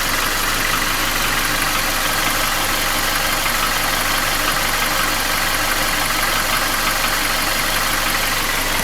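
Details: Nissan QG16DE engine without hydraulic lifters, idling: light regular tapping about three per second, felt between cylinders 1 and 2 at front of block; began 1.5k km ago, after piston rings, oil rings, timing chain and guide replaced 2k km ago; oil change didn't help; gone when revved. Cause unknown.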